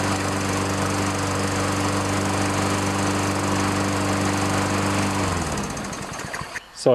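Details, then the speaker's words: Toro self-propelled mower with a 6.5 HP Tecumseh engine holding a smooth, even hum, then shut off, after carburetor cleaning, tune-up and fresh gas; the no-start was blamed on a bad spark plug and old fuel. "pretty good now what I I think it was was a combination of a bad spark plug and old Fuel"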